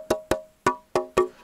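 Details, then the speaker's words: Old roofing slate, tapped before fitting: five sharp taps with short, quickly fading ring, no clear bell tone; sounds soft and dull, suspected hidden crack or surface flake, rejected. "okay this slate looks good but it doesn't sound good it sounds soft and it sounds cracked"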